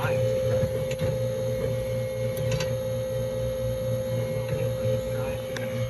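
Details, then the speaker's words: Duke drawer cooler refrigeration unit restarted after its clogged filters were cleaned (head pressure had been very high), with gauges fitted. The fan gives a loud, steady buzz, a hard mid tone over a low mains-like hum, cause unknown. "all right this fan is buzzing like crazy"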